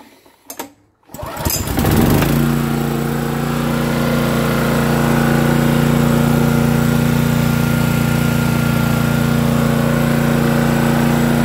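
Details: Honda EG2500 generator, unknown time sitting in a semi trailer, fuel on, choke on, clean oil: after a couple of pulls it catches and settles into a steady, even drone with no misses or knocks; output voltages within spec, runs healthy.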